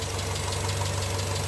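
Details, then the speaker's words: Naturally aspirated 2.2 EJ22 at 117K miles, cold idle on a very cold day: a light, quick ticking over the steady engine note, a mild valve tick. "It's got a little bit of valve tick, but motor won't be in here for too long."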